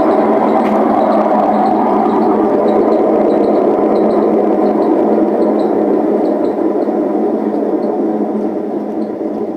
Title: Hotpoint WM74 spin with bad bearings